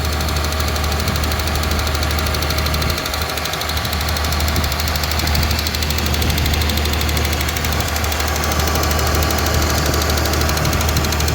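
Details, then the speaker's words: Mazda 323F V6 with battery terminals packed out with lead, first start after sitting: fast, light valve ticking over a steady, high cold idle, very loud while cold; not hunting, so the vacuum leak looks sorted. "so let's see if it starts [Music] tick is very loud it's cold or"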